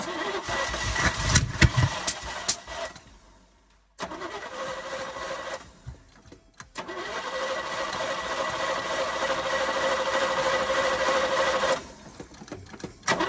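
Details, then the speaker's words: 1972 Chevy K10 4x4, 350 V8, single-pumper carburettor, sat over 20 years, good fuel pressure: catches, dies, then runs unevenly and won't idle, acting like over-fuelling; dirty carburettor needle and seat suspected; over-fuelling. "It sounds like it's acting like it's over fueling, not wanting to idle."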